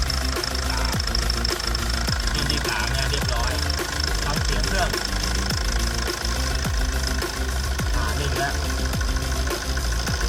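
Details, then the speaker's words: Tata 2.2 diesel idling after repair for hard starting and a loud knock: cylinder 2 rebored with new piston, head skimmed, valves ground, rod bearings, water pump, injectors 2-3 repaired and coded; after a 60-70 km test drive it starts easily and idles steady, knock gone. "แล้วังเเครื่องดีดีนะครับอ่าเสียงเก็จะหายไปเดินนิ่งกว่าเดิมนะฮเรียบร้อย"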